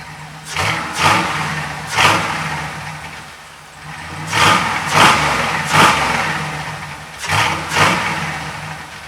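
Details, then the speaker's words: 1966 Chevy El Camino with LS V8 swap, warmed up: clean crisp throttle blips rising and falling smoothly to steady idle, no misfire, knock or bad vibration; healthy running, intake noise audible, owner suspects an O2 sensor acting up. "You guys can hear how good it runs. I mean, there's not a a bad vibration in this thing."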